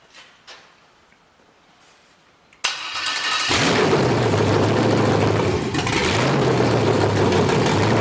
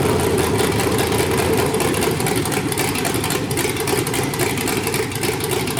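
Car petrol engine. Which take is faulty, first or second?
first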